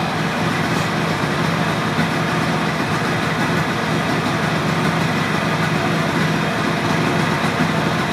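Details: Engine of a motorcycle left sitting 32 years, carburetor and fuel tap leaks fixed: steady, even hum with no misses or stumbles, holding a settled idle; runs smoothly.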